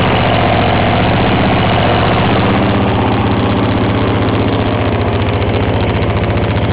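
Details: 1954 reel mower with a restored B&S 6S 1.6 hp engine with new exhaust, alongside a 1984 Montgomery Ward B&S 3.5 hp TMO-37425A with a fallen stack, so rear exhaust. Steady, even single-cylinder putter, about 3.7 pulses a second, no misses: normal running.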